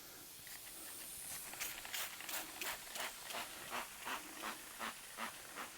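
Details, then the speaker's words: Tubeless tractor tyre that went flat, re-inflated and checked with soapy water: a sharp airy hiss pulses about three times a second as air escapes through a puncture hole, later plugged with a repair kit. "we're going to find this leag I can hear it oh there it is right there"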